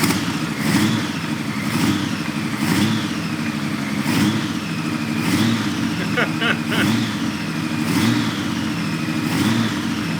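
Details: 1997 Honda Valkyrie six-cylinder, first start after 10 years sitting. Even, mellow idle with a gentle swell about once a second, no knocks or misses; exhaust smoke, owner suspects from debris in the exhaust rather than the engine.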